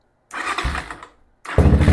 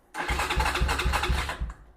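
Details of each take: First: Venom Ghost Chopper 250 single during charging system check with multimeter on battery: short crank, catches and settles into even, steady thump with crisp blips, charging voltage rising normally; normal running and revving. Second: Venom Ghost Chopper 250 motorcycle: starter cranks briskly, about four even compression pulses a second, but never fires; handlebar kill switch in off position, so no start.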